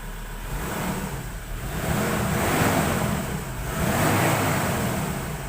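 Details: 2018 Ford Ranger Wildtrak 3.2 diesel after a no-start fix: it starts cleanly and revs up and back down smoothly, steady clatter with no misfire or stumble; running fine now.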